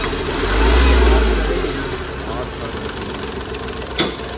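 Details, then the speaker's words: Hyundai Grand i10 diesel after the faulty injector was repaired and refitted, fixing earlier hunting and misfire: even diesel clatter with one smooth rev that rises and settles, quick start, no hunting or skipped beats; engine runs clean. "अब गाड़ी आई है बिल्कुल smooth कोई hunting meeting नहीं"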